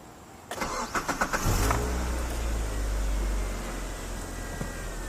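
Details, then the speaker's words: Car with sticking lifter tick, after adding Marvel Mystery Oil; quick start into steady even idle, no ticking from the top end, lifter knock gone. "it's not ticking the lifter stopped knocking immediately nice"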